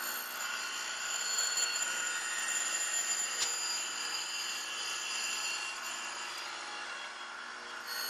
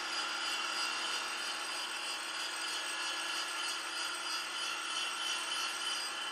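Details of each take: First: Grinding a 3/4-inch pin stuck out 1.8 inches unsupported with a 100-grit Radiac wheel at 0.001 inch per pass, pushing toward a 0.120 diameter: a steady wheel hiss with a thin ringing tone as the slender part chatters (sings). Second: Grinding a small diameter sticking out 1.8 inches without stabilization, using a free-cutting 100-grit Radiac wheel, one thousandth total per pass with faster traverse: even, steady hiss with no chatter, squeal or harmonics at the end of the cut; smooth grinding.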